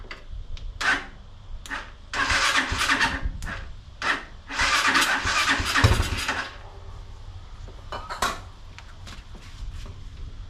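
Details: Unidentified, probably Chinese four-wheeler, choke on, jump pack, started via solenoid with screwdriver and starting fluid: repeated cranking bursts with brief sputters, never runs; bad gas, pilot jet plugged and main jet nearly plugged in carburetor.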